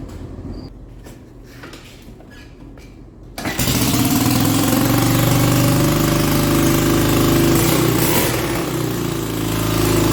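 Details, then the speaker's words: Four-wheeler quad after engine and transmission rebuild: catches and holds a fast, fairly even idle only on choke; owner thinks it gets too much air and not enough fuel. "oh it's running on choke but it's not running on you're getting too much air not enough fuel"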